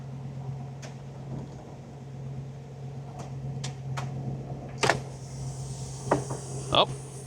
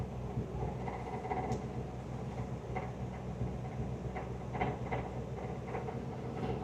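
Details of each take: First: 1961 Buick LeSabre convertible, engine running after fuel line replacement; the top pump, which failed earlier possibly because of a bad battery, now hums steadily with clicks and clunks as the top lowers; normal convertible top pump operation. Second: 1961 Buick LeSabre convertible top motor: low, labored electric hum with faint clicks, running slowly; owner suspects very low battery, possibly an alternator problem. Slow convertible top motor.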